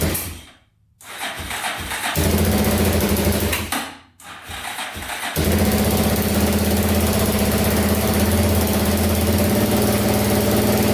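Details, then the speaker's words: Yamaha Wolverine 350 4x4 ATV, last registered in 1999, after a top-end rebuild to cure smoking: two short stumbling cranks, then it catches and settles into a steady, even single-cylinder idle with no misses and no smoke so far; normal idle. "no smoke yet all right check it out all back together all complete looking pretty good"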